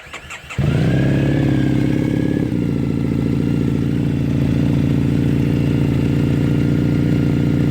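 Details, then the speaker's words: Triumph Thruxton 900 fitted with exhaust wrap and EMGO pipes: catches on the starter, blips up, then settles into a steady, even twin idle with a clean, mellow exhaust note; normal exhaust sound. "much quieter all that sounds so much better"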